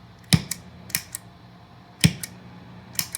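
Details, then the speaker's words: New IdiotBox No Moon pedal (Big Muff, Rat, Tube Screamer), quiet amp, guitar volume off: each stomp engaging the Big Muff or Rat side gives a sharp click and loud low thump. "one thing i noticed i just i just got this today took it out plugged it in and it has a terrible popping sound when you engage uh the big muff and the rat"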